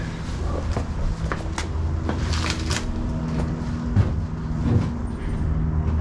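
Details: 1965 Ford Mustang, C-code 289 converted to 302 V8, newly replaced starter, gas fed in for first start: starter cranks with a few uneven firing puffs that never catch; owner suspects worn-out carburetor with leaking, shot gasket, plans new carb.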